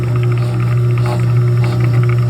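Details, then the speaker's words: Exhaust hood motor, dual-voltage, supplied 120 V single-phase, running at no load: spins fairly cleanly with a steady hum but a faint irregular chattering rattle inside the motor. "still hear it chattering around in there"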